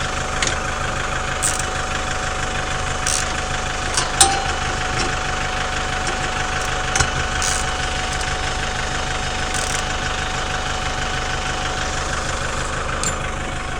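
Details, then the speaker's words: Chevrolet Captiva 2.2 diesel idling after an oil change and fuel filter replacement, everything sealed: steady, even diesel idle with light clatter and occasional clanks from work nearby; healthy idle. "donc là la voiture est en train de tourner elle tourne parfaitement bien au ralenti ici visiblement tout est bien étanche"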